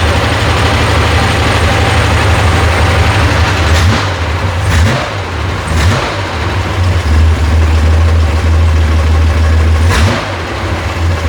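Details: Rebuilt FC engine (an air-cooled six) running after the disconnected fuel pump wire was reconnected: a steady low idle between a few clean throttle blips, with smooth, even firing and no knocks. It is running normally.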